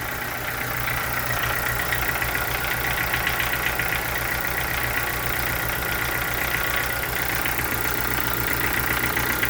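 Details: Chevrolet Corsa sedan engine at idle with a fast, regular light ticking about four per second over the engine hum; cause unknown.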